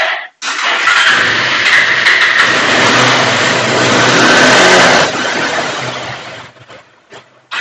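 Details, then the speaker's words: Bajaj Pulsar 180 BS4 motorcycle with a starting problem: the engine catches and revs hard for a few seconds, then the note collapses and it dies, so the fault is the CDI. "यह बंद है। आप देखें। इसलिए? तब समस्या CDI."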